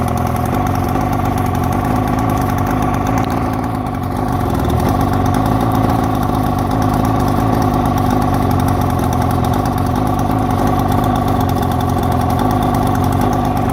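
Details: 1972 Mercury 402 40 HP two-stroke outboard with a new water pump: low burbling idle that wavers and lumps unevenly; rough idle, cause unclear.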